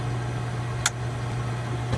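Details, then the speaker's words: Hot tub pack with pump running, pressure switch turned counterclockwise to adjust it: low steady pump hum and one sharp click as the heater relay pulls back in; the aging or blocked pressure switch is suspect. "yeah i heard that click it's all going to turn it back you should hear it click again"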